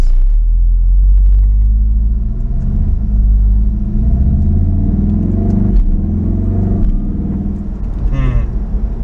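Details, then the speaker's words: VW Golf R Mk7 at a complete stop after fitting a billet aluminum dogbone mount insert (later found to be the wrong insert): deep drone and throb in the cabin, increased engine vibration transmitted through the stiffer mount. "So I'm at a complete stop right now. and there's definitely an increase in the vibration."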